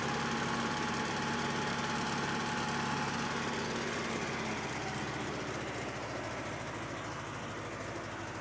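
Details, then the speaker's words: Bobcat 610 skid steer bought cheap off Craigslist, run hard and neglected; the seller says it fires up every time. Started at purchase, its old four-cylinder gas engine holds a steady, even idle with no knocks or misses; sounds healthy, normal idle. "so you said it fires up every time can you yeah fire it up let's take a listen"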